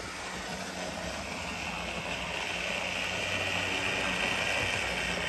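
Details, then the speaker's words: Older Bachmann GP40 locomotive, CP Rail, after cleaning and lubrication, first laps on test loop: steady buzzing whirr with hissy edge, slightly quieter but still too loud; owner suspects motor and gear noise resonating through body shell. "let's find out it's a little bit quieter but still not as silent as I would like as I say we'll give it a couple of"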